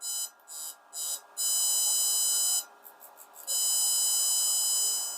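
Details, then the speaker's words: Auto-detect-volt full-option pulse desulfator/charger (2023 model): choppy high beeps, then a steady high-pitched tone. Continuous pulse mode at about 1 kHz with roughly 8 A charge current, working normally. "เดี๋ยวจะลองปรับสปีดให้เร็วนะครับนะครับสปีดก็จะเร็วขึ้นนะฮะสามารถปรับได้หลากหลายรูปแบบมากนะครับ"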